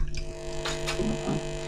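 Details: A homemade single-ended class A valve amp using an ECC83 (12AX7) and an EL84, heard through a microphone at the speaker. A steady low hum sits under everything, unaffected by the signal. The amp has a mains hum problem.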